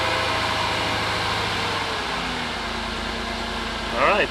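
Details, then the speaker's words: Jaguar XJR after alternator replacement for a whining noise, burning smell and no charging output: steady, even idle with a smooth low hum and no whine; charging now at 14.22 V, engine healthy and settled. "fire right up you're good let's go check the battery and see what's going on"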